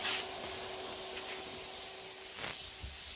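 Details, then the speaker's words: Simadre 5200DX plasma cutter powered on in cutting plasma mode with air source connected: continuous steady air hiss from the torch with no cutting arc; air solenoid stuck open. "Nope. Nothing. And it's still fizzing. The air is still going on."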